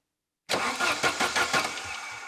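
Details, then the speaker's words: 1980s Saab 900 Turbo Commander, parked 10+ years, with a newly fitted ignition module. Steady cranking at about four compression pulses per second never catches: sparks are present but don't reach the cylinders because the coil wire to the new distributor cap was left disconnected. "I saw the sparks, which means that the ignition system is working now because I forgot to connect the wire going from the ignition coil to the new cap that I just fitted. So, good news. There is spark, just not inside the cylinders just yet"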